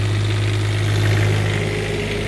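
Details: Newly refurbished Onan 7.5/8 kW RV generator on a bench load test, before any heater load is switched on: steady, even low hum with no knocks, misses or surging; running smoothly and healthy unloaded.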